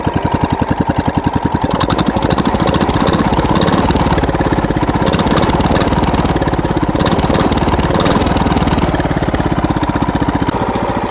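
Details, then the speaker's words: Wheel Horse single-cylinder engine while working trails: uneven, lumpy thumping with irregular misses under load. Owner suspects the ignition points gap closing up, as last time. "i don't know if you can hear what i'm hearing or not y'all but there's a strange sound coming from the wheelhole"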